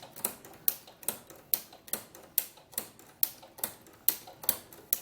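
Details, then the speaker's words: Inspire ruffler foot on a sewing machine set to one gather every six stitches, 4 mm stitch length: crisp, evenly spaced clicks about every half second over a light hum, the ruffler ticking normally. "so now you'll hear the clicking noise because I'm only going to get a gather every six stitches"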